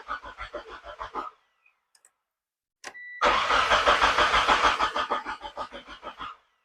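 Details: Mitsubishi Eclipse (2G DSM, 4G63 turbo) cranking in two steady bursts at about three turns a second with no catch, fuel pressure regulator removed to check for fuel at the rail end; fuel appears, so owner believes the regulator is bad.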